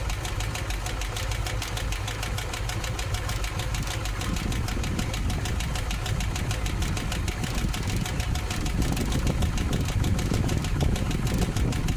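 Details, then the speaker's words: 1958 car with newly installed exhaust system, idling: light fast ticking over a steady low idle; owner suspects manifold or flange exhaust leak but cannot locate it with a hose, source unconfirmed. "I'm not finding where that ticking noise is coming from."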